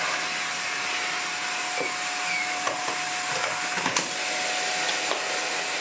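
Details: Shark NV801 Lift Away vacuum on its first power-on test before a full clean, picking up dirt from the floor: steady high airflow roar, constant mid-pitched motor tone, a few pickup ticks; running normally.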